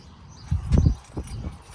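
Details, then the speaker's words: Ford F-150 door closing with a single solid thump and no creak after the door check arm was replaced, when tightening the 10 mm bolts alone had not stopped the creaking. "all you got to do is close the door. It feels like a million bucks. Feels like a damn Bentley. You don't even hear it."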